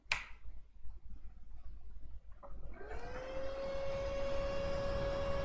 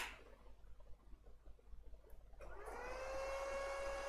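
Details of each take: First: Lenovo ThinkCentre M72e motherboard after no-display repair, CPU heatsink not yet installed: steady fan whine drops smoothly to lower speed once 0.9 V core voltage appears; normal fan speed control. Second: Lenovo ThinkCentre M72e desktop with no display: after power-on the front fan, not the CPU fan, stays at steady high speed instead of slowing, indicating missing CPU core voltage (VCore, VCCSA) from a failed NCP102 regulator driver.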